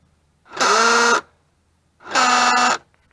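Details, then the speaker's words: 2003 Hyundai Sonata LX 2.7L V6, front driver's door lock actuator going bad: two short harsh buzzing grinds, one per lock cycle, while locks still work; fix is replacing the actuator. "But yeah, I'm getting that grinding noise. My locks are working just fine. However, the actuator is going bad."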